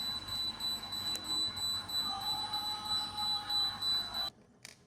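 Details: Haier fridge not working after the power went off and came back on: a shrill, high electronic beep repeating about three times a second with no compressor hum. Continuous alarm beeping, fridge not running; cleared via the motherboard behind the rear cover.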